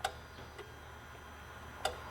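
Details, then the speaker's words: Dodge Sprinter that won't exceed 40 mph and loses power: the EGR valve, commanded on and off with its wiring confirmed good, gives isolated sharp clicks about two seconds apart. The valve may be sticking or carbon-clogged. "okay so the way this valve is making noise it sounds like it could be sticking we might have to remove it so we can look at the plunger on the valve"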